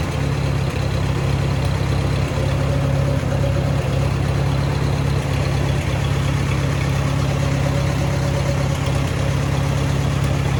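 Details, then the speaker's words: Allis-Chalmers WD tractor at a low, chugging idle whose beat wanders slightly, no knocking; owner thinks the carburetor needs adjusting to even it out, after sediment bowl and fuel screen work. Cause suspected, not confirmed. "Well, so far so good. It almost sounds like I got to do a little bit of adjusting on the carburetor to get it to kind of even out a little bit."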